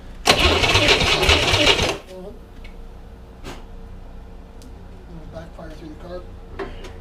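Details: 1961 Corvair air-cooled engine on a bench, sat 20 years, partly refurbished, coil wired hot to the battery: catches in a loud rough burst under two seconds, then dies to a faint tick with pops, backfiring through the carburetor; timing suspected, choke suggested.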